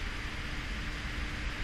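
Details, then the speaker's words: PC with a Corsair iCUE H100i RGB PRO XT AIO and a DeepCool FH-10 fan hub: the two inner case fans run flat out with a steady rush and hum because they get no PWM control; the front fans run slow. "these two fans are seemingly getting the pvm control from the aio because these are the ones that connected to the aio and these two are running at maximum speed so i'm still not there"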